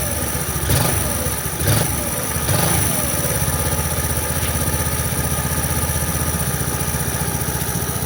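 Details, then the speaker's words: Lifan 110 semi-automatic engine freshly installed in a Honda C90: after a few blips, a steady, even single-cylinder putter at idle with no knocks or misses, described as very smooth; normal idle. "Listen to that. It's like a cashmere codpiece. Like a what? Cashmere codpiece. As smooth as."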